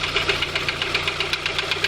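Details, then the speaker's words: VW Golf 2 with 1.6 engine, started knocking while driving, first suspected lifter or camshaft near cylinder one: sharp metallic ticking about eight times a second at idle from the belt end; timing belt roller bearing disintegrated, balls fell out; replaced with new roller. "вот она вся причина которая была стука ролик развалины шарики шарики скатились вниз все и он стучал"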